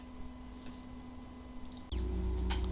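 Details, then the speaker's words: WD My Book external hard drive (WD20EZRX/WD40EZRX class SATA drive), not accessible by any computer: a low steady buzz that suddenly grows louder, with sharp irregular clicks, from physical damage to the disk assembly. "The following is the sound from one of the hard drive which experienced disk assembly physical damage."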